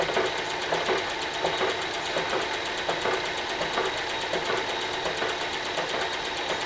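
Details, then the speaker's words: Carbide boring tool chipping its tip at the bottom of a cast iron wood chipper flywheel bore, cutting through a hard heat-affected zone left by arc welding; sharp regular ticks about 83 a minute over a steady cutting hiss. "It's hard to believe, actually I'm losing the tip of my down here at the bottom again."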